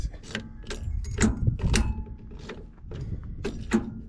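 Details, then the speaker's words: John Deere 890 excavator, sitting with parts seized: on key-on the starter solenoid clicks sharply and unevenly, but the starter never turns and the engine does not crank. "it's clicking on really hard but the starter isn't turning"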